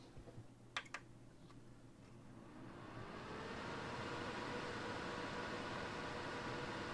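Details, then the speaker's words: NAS in a Silverstone CS382 case, drives and LSI card removed, with CPU fan, one case fan and two drive-cage fans: a steady airy whoosh swells into a loud constant roar from the drive-cage fans running full speed. "yeah that's pretty loud seems all that noise is coming from these uh fans in here"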